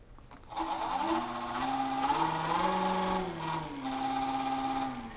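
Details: Nova Voyager DVR 58000 drill press, spindle turned on and off from the control panel: motor hum rises as it spins up, holds a steady even whine, then winds down smoothly; clean start and stop, healthy.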